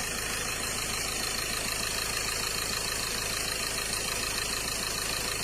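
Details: Mazda BT-50 Pro diesel, towed in as a no-start that several shops failed to fix, now repaired and starting: steady, even idle around 200 beats a minute, no misses or knocks; idles normally.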